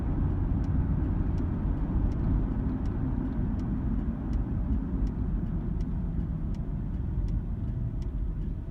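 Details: 2002 Nissan Xterra while driving: a light metallic tick or grinding roughly every 0.7 seconds from under the passenger-side floor, worst around 2000 or 3000 rpm on and off throttle. A mechanic suggested an exhaust rattle; unconfirmed.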